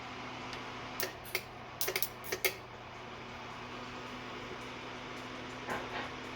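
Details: Cab heater after soldering repair, on a Ryobi battery, switched to heat mode at 72°F room; steady even low hum with a few faint clicks from the fan, running normally.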